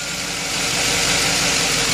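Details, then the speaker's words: 2009 Chevy truck V8 with P0302 cylinder 2 misfire, idling: lumpy, stumbling beat with loud ticking; loosening the rocker arm bolt smooths it, diagnosing a collapsed lifter or cam lobe fault. "starts to run bad so if I loosen the uh rocker arm bolt it runs smoother anyway uh that's how to uh diagnose a bad Lifter on a Chevy truck"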